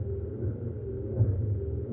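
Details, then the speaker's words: Hemi Duster windshield wiper transmission newly installed, motor run off a 12 V charger: steady low hum with an even, smooth sweep, no binding or clunks, speeding up slightly as it loosens; normal wiper operation. "Well, we can't put our wipers on yet. Not for a long time. But at least we got her that far now. Wiper motor sounds good, too."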